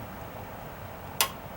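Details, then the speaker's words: Outlet tester shows power on a new replacement GFCI outlet on an exterior deck, which replaced a failed one over 15 years old. Pressing the black test button gives a single sharp snap as the red reset pops out: the GFCI trips correctly. "Well, if you want to ever test your GFI to make sure it's working, press the test button, and this happens to say test on here. When I press the black button, it should pop the red button out."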